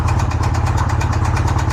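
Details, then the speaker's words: Polaris RZR freshly built engine that had locked up (rod bearings suspected seized to crank), freed and run on Lucas oil; 15-20 minutes in, up to temperature, decent oil pressure: sharp metallic knocks about seven a second at idle; spun or worn rod bearing. "Still running, knocking like crazy. We're up to temperature."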